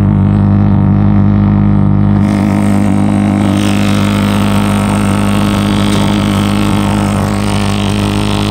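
Loud, steady low drone from rapid, even pulsing combustion that holds the same pitch throughout; the pulse furnace is firing normally.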